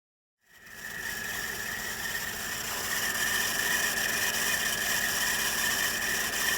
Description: The noise you hear is that of the accessory belt tensioner failing.